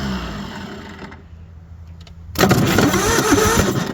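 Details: Bobcat 743 skid steer diesel, bought unseen and with a battery just hooked up: the starter turns it over in a quick, steady rhythm but it never catches; cranks without starting, cause unconfirmed.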